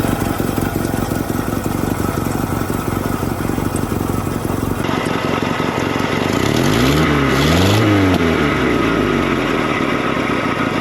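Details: Rare 1960s Toyota Stout pickup with 3R four-cylinder, abandoned since 1984, running on an improvised setup with no original carburetor after flooding several times: idles smooth and even, clean rev rise and fall, not smoking; sounds healthy.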